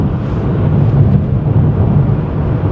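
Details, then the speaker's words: 1988 Chevy Cavalier Z24 cruising over 65 mph on cruise control: steady even low drone, no knocks, misses or surges under road rumble; no check engine light, runs like a top, healthy cruise. "no check engine light it runs like an absolute top what a beautiful old car"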